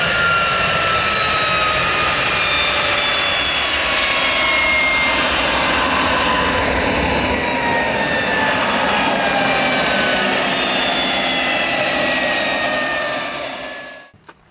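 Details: PowerModz jet truck turbine at its first start of summer after a long winter, right after cleaning out a fuel filter full of dirt: a loud, steady roar with a clean, even high whine that spools down smoothly. It runs better than ever.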